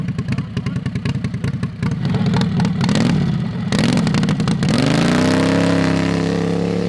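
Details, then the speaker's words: Modified Harbor Freight 670cc V-twin (about 55 hp) on a drag rail kart, running after sitting. Its ignition coils had contacted the flywheel magnet carrier; a coil was replaced and its gap set wide. It cranks lumpy, catches, revs cleanly and settles into an even run with no misses: normal running. "so we're going to do some pulls of the driveway while it's running this thing sounds good"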